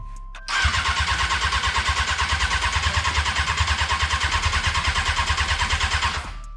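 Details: Honda F4i sport bike stunt build, first start attempt, fuel pump priming: steady starter cranking about three turns a second for six seconds with no firing; turns over but won't catch; cranking, no start.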